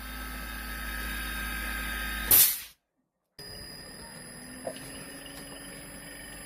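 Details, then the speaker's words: Gree DC inverter AC, customer said it shuts off at high RPM with no error code: bench-run compressor under full load at high RPM hums steadily with constant high tones, no cut-out; now running normally. "अब ये काफी टाइम चल गया है, पहले से ज्यादा काफी टाइम ये, और हाई आरपीएम पे जाके ये चल रहा है। तो इसमें अब कोई भी किसी किस्म का मसला नहीं है।"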